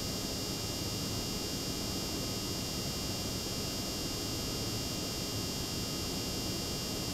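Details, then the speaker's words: Water-cooled Lian Li PC-Q08 HTPC build, new pump run at full speed with mic close to the pump: steady hiss with a faint constant high whine; pump running normally and quiet. "now you can definitely hear that it's not that bad but I don't know if the mic right up by the pump might sound worse but that's on full"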